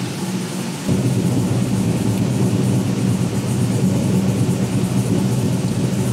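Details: V8 with Holley EFI after replacing a faulty TPS sensor that read 3% off and had been forced onto an oversized throttle body shaft; steady, even, deep smooth idle with no hunting or surging.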